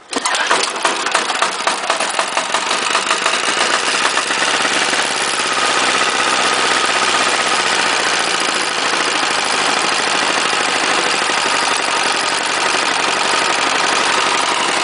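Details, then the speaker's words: 418cc Chinese single-cylinder direct-injection diesel temporarily mounted on snow thrower, first test, pull-started with decompression, partial fuel setting: quick catch after rapid chuffs, then fast even clatter to steady idle; normal start and idle. "actually starts pretty good when it's warmer I suspect the dere temperature was a little bit warmer if the air temp was a little warmer it would be a lot easier obviously"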